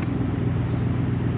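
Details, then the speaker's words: Triumph Stag at idle after fuse box replacement; steady even whirring of the electric cooling fan over the idle; cooling fan running normally. "Yep, now I can hear the fan going."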